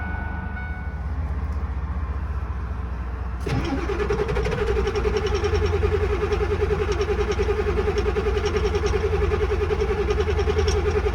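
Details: Ford 7.3 Power Stroke diesel, manual, sat about 2 weeks in cold weather, key cycled about 3 times to heat glow plugs: low churning cranking for a few seconds, then catches into steady even diesel clatter with smoke; hard cold start.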